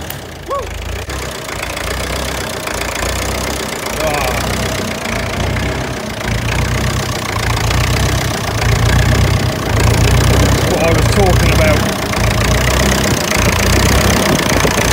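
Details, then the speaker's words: Ferguson TEF-20 vintage tractor diesel on a cold start: steady clatter around four beats a second, firm and even, slowly settling as it warms; normal cold-start warm-up, healthy engine. "absolutely love the sound of this engine when it's running there's just something about them"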